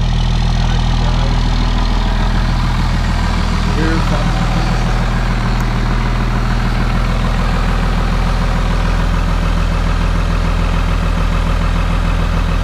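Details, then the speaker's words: VP44 Cummins diesel, cold start at -25 in B.C. Canada; deep even clatter idling steadily a touch fast, kicking up into three-cylinder high idle, EGTs about 600: cold high idle. "Oh, yeah. Starting to kick up now. That's that three-cylinder high idle."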